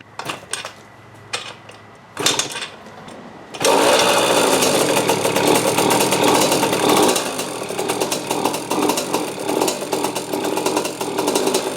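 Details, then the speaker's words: 2003 KTM 50 Mini Adventure 2-stroke, oil injection blocked off, cleaned carb, fresh premix: a few tries, then buzzy run rising and sagging unevenly, won't stay running; sounds fuel-starved, cause suspected, not confirmed. "Doesn't want to stay running though. [Music] Still sounds like it's starving for fuel."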